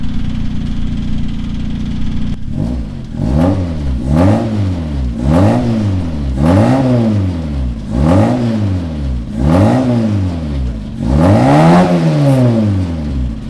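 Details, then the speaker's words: Tarmac race car at start-up after an exhaust upgrade: steady idle, then about nine quick revs, each rising and falling cleanly with a crisp, even note; healthy exhaust. "Bosch, that exhaust is sounding sweet, but a little Yeah. Right. I'm happy."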